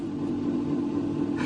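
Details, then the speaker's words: Bang & Olufsen record player drive motor running far too loud, a steady heavy diesel-like drone with no rhythm; turntable also runs slow, likely linked to the noisy motor (suspected, not confirmed). "And my camera has a hard time focusing on all the shiny metal, but it sounds like a diesel. My goodness, listen to it."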